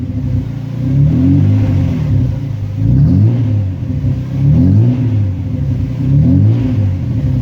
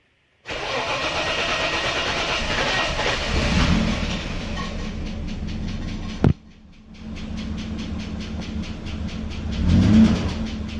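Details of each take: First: VL Commodore, sat for a while, fresh 98 premium fuel added; crisp even throttle blips about every 1.5 seconds, pulling cleanly and dropping back to steady idle after initial rough start cleared; running sweet. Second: VL Commodore, 385,000 km, sat for a while, fresh 98 premium fuel added and pump primed; cranks and catches, then uneven wavering idle with stumble and dip before revs recover; owner suspects battery or old dirty fuel, unconfirmed.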